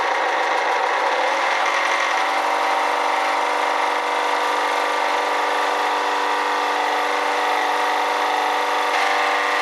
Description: Sounds like the bearing in the alternator my be bad, as its noisy and gets louder when a load is applied to the alternator.